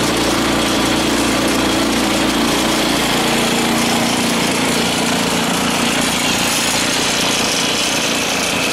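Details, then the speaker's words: 13 hp Honda clone (Hyspec) engine mounted on a Case 1818 skid steer, belt-driving a Lucknow 48" snowblower, previously run and maybe needing choke: busy, even single-cylinder drone holding steady speed with no stumbling or hunting; normal running. "I'll fire it up just so you can hear it running I had it running I may not need to choke it it's a 13 horse engine a Honda clone"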